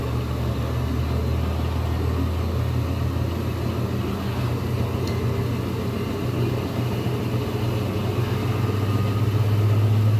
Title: GE || Washing machine || Normal sound || Spinning